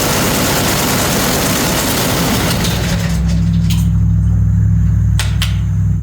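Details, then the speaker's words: Canard experimental aircraft engine ground run after fitting new ignition part, tested at various rpm on left and right ignition: steady deep roar settling to a smooth lower drone before cutoff; engine runs normally. "So I tested at various RPMs and with just the left ignition and the right ignition, and it all works fine."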